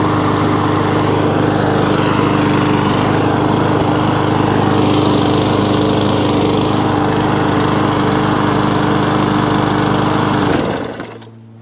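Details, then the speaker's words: Briggs & Stratton overhead-valve E-series mower engine after a surging fix tried before replacing the carburettor; holds a steady, even note for ten seconds with only a slight hunt, typical of these engines, then shuts off cleanly; normal running. "enough of that i mean but they they do hunt two degree anyway but they're not the smoothest running machines but i'm happy with that"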